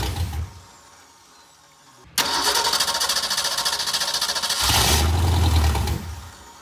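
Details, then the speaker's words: Ford 289 V8 first startup in over ten years with a new starter and raw fuel shot in: cranks, catches briefly, fires unevenly and loudly, then sputters and dies. Rough running because the carburetor is plugged up and needs a rebuild. "Yeah, the carburetor's gonna have to be rebuilt before it'll run. That carburetor's completely pretty much stopped up."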